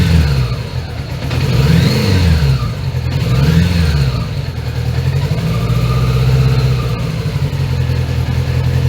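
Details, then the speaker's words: 1980 Honda GL1100, carbs freshly overhauled, during carb sync after the lock nuts are tightened: the revs keep drifting up and down and never settle. The upset carb sync means it won't hold an idle. "doesn't seem to want to idle."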